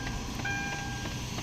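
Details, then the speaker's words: Hyundai Tucson at ignition-on: quick, regular light taps about three a second from under the dashboard near the steering, with a faint tone, fading after start; the AC blend door actuator is knocking and will be replaced. "Ayan mga ka o clear na. 'Yan na 'yung naririnig natin. Ang problema niyan is 'yung uh blender actuator ng aircon 'ag nag-o-on."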